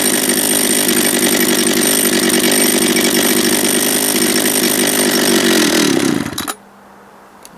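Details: Japanese-made John Deere EV45 two-stroke chainsaw after carburetor rebuild, first start, no chain brake: strong, even buzz holding steady speed about six seconds then cutting off cleanly; runs healthy.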